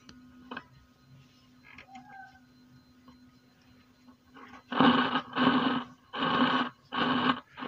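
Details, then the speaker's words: DIY active speaker amplifier on an 18 V transformer: a steady low hum, then loud rough crackling bursts as the volume pot turns, still no audio output; a small or ceramic capacitor is suspected. "potensionya saya puter langsung ada suara grok-grok tuh kayak gitu pemirsa"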